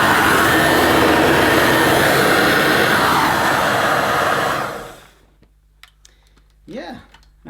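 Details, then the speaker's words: New Dirt Devil Broomy Broom Vac 750 upright (325 W, 50 Hz) with a new belt and bag, bag inflating well. A steady, even motor roar with no rattle or squeal for nearly five seconds, then a smooth spin-down at switch-off, normal running. "the bag the bag blows up nicely let's hope the clean itself doesn't blow up"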